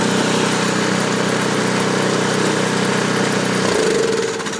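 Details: New Ariens Deluxe 24-inch electric-start snow blower, primed with 3 pumps and started with the choke partly open: an even, steady single-cylinder beat that settles smoothly as the choke is opened fully. A healthy engine.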